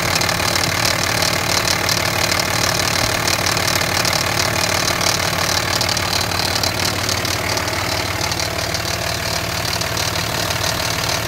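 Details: 2005 Cummins 5.9 diesel at idle: a harsh, gritty rattling grinding noise ticking about three times a second over the normal clatter.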